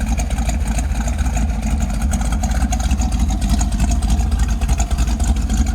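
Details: 1968 Camaro with its original 327 210 hp two-barrel V8 and Gardner dual exhaust with the factory single transverse muffler. It gives a steady, even, fairly quiet low rumble with a soft exhaust pulse and no knocks or misses; a healthy idle.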